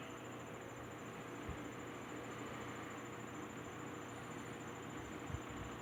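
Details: Wizard window box fan on low, original motor rebuilt with transplanted front and back bearing caps, bearings cleaned and oiled: very quiet, steady soft hum and airflow with no rubbing or ticking; normal running.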